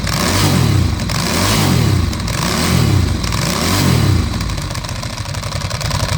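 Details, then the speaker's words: 2008 Ducati Hypermotard being restored, first run after two years: engine blipped four times with a loose dry rattle under the revs that eases as it settles; owner unsure whether the clutch noise is normal, cause unknown. "But overall it doesn't sound too bad apart from the clutch. So I don't know if that's supposed to sound like that."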